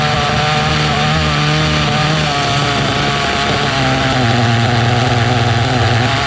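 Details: Restored 2006 OFNA Mutillator nitro RC buggy on first drive after revival: loud, burbling small-engine scream, slightly blubbery and uneven instead of crisp; running rich and loud, needs leaning.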